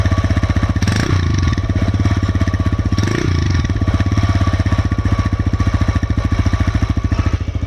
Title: TVS Raider 125 cc engine sound (knock sound-it takes delay to open or close of tappet problem)